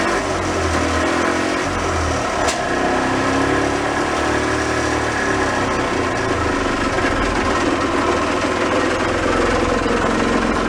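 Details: Early-1980s gas golf cart pickup barn find, running on a little fuel in the carburetor float bowl without choke: the small single-cylinder engine runs with an even, steady buzz and no misses or knocks; sounds healthy.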